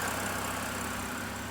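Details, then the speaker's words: 2013 BMW 328i E93 with N52 engine after replacing the valve cover assembly to fix a torn CCV diaphragm that caused a loud belt-like screech and a rough, fluctuating idle. Now an even, steady idle with no ticking or hissing; runs smooth. "But man, it runs good now though. It runs perfect. So smooth."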